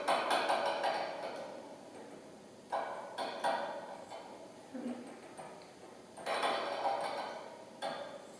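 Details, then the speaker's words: Balanced Body Pilates Cadillac push-through bar in use: dry, uneven creaks in bursts with each push, not the spring; the eye bolt's inner surface is worn. Fix: replace or rotate the eye bolt, or apply silicone spray temporarily. "That's not the spring, that's actually the eye bolt, and the inside surface has been worn down."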